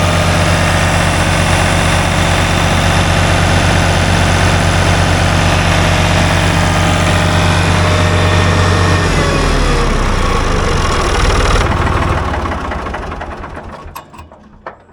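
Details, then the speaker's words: Ford tractor with a three-cylinder diesel, about 60 hp at the PTO, run wide open. A deep, even drone held steady at top revs, then a clean wind-down; sounds nice, a healthy diesel. "Man, that thing sounds nice."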